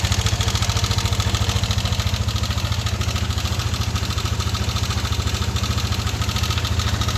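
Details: Yamaha NMAX V1 scooter idling with a steady beat and a loose metallic clatter and knock in the engine, like marbles rolling inside.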